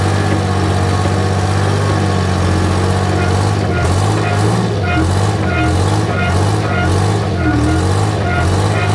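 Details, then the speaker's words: Michigan 55A loader's rebuilt Detroit Diesel 3-53 two-stroke, abandoned 14 years, first run: deep, even drone with steady firing and mild pitch sway under load, small diesel and possible radiator leaks; normal running. "all right so success it runs and honestly sounds pretty good"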